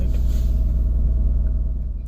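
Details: Jaguar X-Type that wouldn't start, running after the unconnected air flow meter was reconnected (no fault code set; fuel pump first suspected); deep, steady low thrum with even pulses, nothing rattling or missing; normal running.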